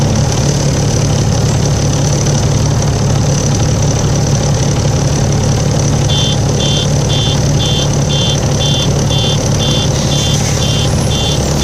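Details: Volvo 7700A diesel city bus from Budapest (FKU-942) at idle: deep drone, uneven low throb, faint regular chirp entering halfway; weird noise these buses often make, cause unknown.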